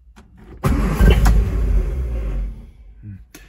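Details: 1958 MGA 1500 cold start with choke pulled but no throttle: the starter churns for about two seconds with no firing catch, then drops off; cranks but won't start, though it later started with the gas pedal down.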